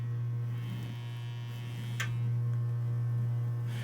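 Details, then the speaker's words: Vintage 12-inch guitar speaker on test bench; steady low test tone with raspy fizzy buzz, frame bent oval likely from shipping impact, voice coil out of alignment and rubbing, stops when pressing frame: voice coil rub. "there's a little buzz there foreign you hear that the coil is out of alignment with the frame"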